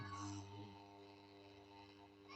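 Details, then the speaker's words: Top-loader washing machine inlet valve tested on live mains power: steady mains-frequency buzz with low hum as the solenoid energises and the valve opens, which is normal. "so if we plug here this thing will will pass like so that tells us the the solenoid is opening so let's do that I don't know whether if you hear that sound um it's buzzing"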